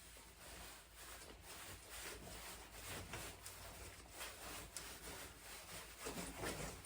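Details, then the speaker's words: Bouncing test 7 hours after epoxy-filling a creaking Selle Italia mountain-bike saddle (creak began after 3–4 months of use): only soft suspension strokes about twice a second, no saddle creak, sounding good. "Just suspension sounds. It is sounding good."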